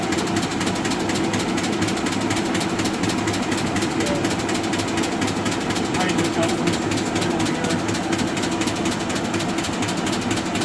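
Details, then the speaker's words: Arter A3-12 12-inch rotary surface grinder, 220 V three-phase, flat belt spindle drive: steady machine hum with light rapid clicking as the belt seam passes the pulleys while running; normal. "machine has a flat belt drive to the spindle on it so you hear it kind of clicking from the seam and the belt when it runs"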